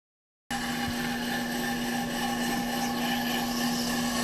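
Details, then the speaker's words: Off-the-car brake lathe finish cut on a hubless brake rotor, rotor feed on, chip deflector/silencer fitted, a couple thousandths cut: even hum with a steady high ring and no chatter; normal smooth rotor cutting. "We turn the switch back on to rotor feed. We tighten down the nut and away she goes."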